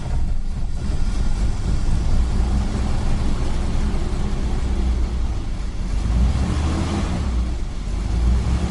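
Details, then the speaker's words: 1947 Dodge that had failed to start for days, owner suspected electrical fault, now started with charger removed: catches straight away into a steady, even low rumble with no misses or knocks; best it has ever started. "sounds good is it what did you do that's the best it's ever started it"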